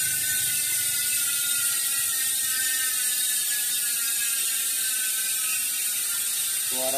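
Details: Industry Nine hub on a 29-inch Santa Cruz bike, 12x148 rear: loud, even high-pitched ratchet buzz while the wheel coasts, no skips or rough spots; healthy freehub.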